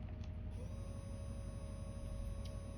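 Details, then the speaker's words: Quiet, even whir with no ticking or rubbing from the fan motor of the smoke unit in an MTH Premier N&W Class A model locomotive, with fan blades refitted during the smoke unit rebuild; normal running. "Yeah, so it's not very loud. Obviously you can see this fan's spinning."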